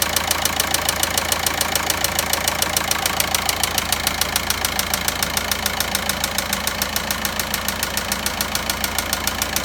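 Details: VW Passat 1.9 diesel at idle: sharp, very regular ticking about three and a half per second over the diesel idle; engine knocking noise of unknown origin.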